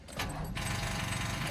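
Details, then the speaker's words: Manual, clutch in, neutral, battery completely dead (headlights not working); short strained whirring clatter as starter barely turns the engine; weak crank from dead battery. "It'll be really slow. Oh, yep. And that noise right there means the battery is dead."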